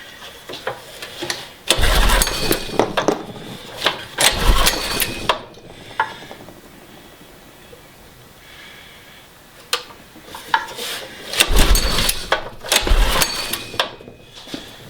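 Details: Carter go-kart small single-cylinder engine, removed from the kart and on a garage table: catches and revs in loud bursts, drops off, fires again and picks up; it starts and runs.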